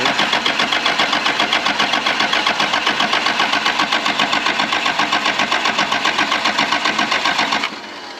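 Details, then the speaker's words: 1996 Dodge 2500 with 12-valve Cummins diesel, sat 15 years: lift pump clamps replaced, fuel now at the pump, two injection lines cracked open to bleed air. Even starter chug with no firing; cranks without starting while bleeding. It started after the lines were tightened. "so now we got fuel at the pump so I got two injection lines cracked yet so let's see"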